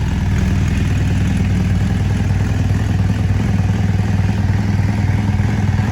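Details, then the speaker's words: Bike just carb-worked with idle screws turned up, running only on choke: steady, slightly ragged low thudding around 200 beats a minute; rough running from poor carburetor tune. "It starts, it runs, you can get it to rev up, but it is clearly not happy with its current tune."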